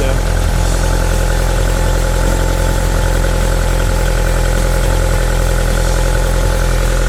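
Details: 1978 Lotus Sprint Eclat (built Nov 1977), cold engine: steady, even low idle burble with no misses, knocks or ticks, before being revved; sounds good, healthy.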